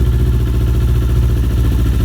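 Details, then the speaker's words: Kawasaki Ninja 250R twin idling from cold after new fuel pump fitted, low fuel: steady, even low drone, no knocks, misses or surging; idles cleanly. "it is good. It's good. She's running."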